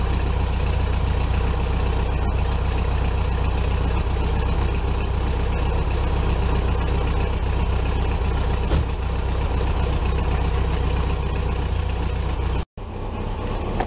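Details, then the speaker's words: VW Beetle idling after a cold start at about 15°F in snow: deep, lumpy but steady low thrum, no knocks or squeals; normal healthy cold idle. "So a couple of cold starts and we'll see what happens."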